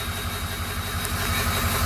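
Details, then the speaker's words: Flatbed truck, about 213,379 on odometer, warmed up, misfire worsening: lumpy uneven idle with stumbling low thump breaking rhythm; rough idle from misfire. "so we'll roll up here see the temperatures up on this one and it's running pretty bad"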